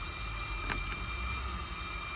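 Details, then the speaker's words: 229,000-mile Audi TT, intake pressure leak test with adapter fitted in place of the MAF, air fed into inlet circuit: steady loud hiss of escaping air, leak confirmed by spray, a pipe found come off. "There we go, it's going in now. You can hear it, and we've got some boost juice. We can't find some leaks. Give it a spray. Oh, yep, that's definitely a leak."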